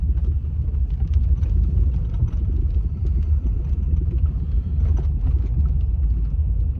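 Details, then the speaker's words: 2003 Toyota Tundra 4.7 V8, driving, nearly out of gas: deep rumble with uneven, stumbling beat and visible shaking, check engine light flashing; misfire codes on cylinders 6 and 8 from a bad ignition coil pack. "I don't know if you can see it in the camera, the shaking it's doing, but it is skipping to the beat."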